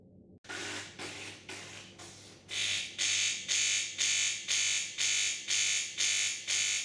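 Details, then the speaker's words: De'Longhi Magnifica ESAM4200 bean-to-cup machine on first use: the 15-bar pump gives loud, harsh buzzing pulses about twice a second over a low hum, with no water delivered. Air trapped in the pump, cleared by running hot water through the steam nozzle. "when the appliance is switched on for use during the rinse cycle a loud buzzing noise is heard and no water is delivered from the outlets"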